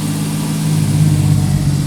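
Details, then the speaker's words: 1989 Jeep Cherokee XJ Renix 4.0L on a very cold start: steady fast idle around 2,000–2,500 rpm for 30 seconds to a minute before dropping; cleaning didn't fix it, idle air control valve suspected and replaced. "and yep so the Cherokee does do this when it's really cold out it idles super high"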